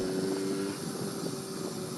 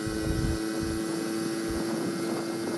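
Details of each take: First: Barn-find 1980 Honda Express moped with new piston, rings, cylinder with bigger exhaust port, cooked exhaust and aftermarket carb, starting issue traced to slow fuel flow from tank/petcock: even, steady two-stroke buzz, clean held tone, no misses or rattles; running normally. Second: 1980 Honda Express barn-find moped with new piston and rings, bigger-port jug, exhaust and aftermarket carb, riding uphill near its 26 mph top speed: steady drone with ragged stumbling beat under wind noise. Owner plans to try other air filters. Four-stroking.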